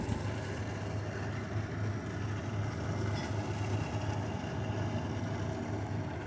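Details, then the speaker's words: LG 6,000 BTU window air conditioner, a couple of years old, running after cycling through fan speeds and modes: steady, even low hum with no rattles, knocks or squeals. Working normally. "as you can see this air conditioner works really well um no problems with it"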